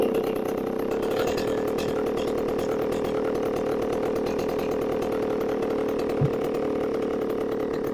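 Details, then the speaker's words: Chainsaw after installing a new carburetor, air cleaner off: two-stroke holds a steady high buzz without surging or cutting out; runs evenly and sounds healthy. "we're gonna leave it running for a second we'll come back we'll see if she's still running oh baby we are in it's still going we've been running for about five minutes now"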